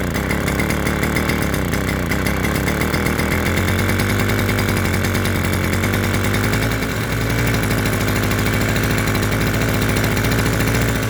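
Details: Mid-1970s Victor two-stroke lawn edger, engine previously stuck, first run on fresh pre-mix: settles into a steady, even buzzing idle with a crisp firing beat and no knocks; running cleanly.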